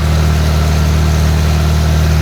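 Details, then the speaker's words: Farmall tractor in charging-system test with battery cable removed: steady, even low chug with no knocks, misses or surges; it keeps running, showing generator and charging system work properly. "Okay, my cable's off and my tractor is still running, which shows that my charging system is working properly."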